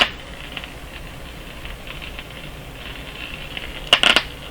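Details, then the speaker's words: Grundig Satellit Professional 650 on shortwave around 15.2 MHz test signal: quiet hiss then a burst of sharp crackles, caused by a power cable's fringe bumping another radio's chassis, not the Grundig itself. "all that was happening was i was bumping the fringe of this against the chassis there and nothing to do with the radio whatsoever"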